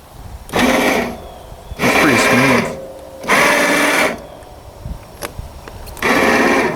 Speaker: okay winch is working cool